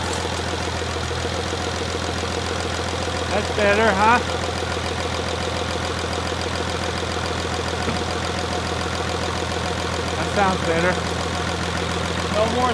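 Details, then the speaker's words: First start of a freshly rebuilt 5.9 Cummins diesel in a Dodge Megacab, after adjusting loose rocker arms (mostly exhaust): an even diesel clatter at steady idle with no more thud; normal idle. "all right as you guys saw uh she's now running way better just had some rocker arms that were too loose"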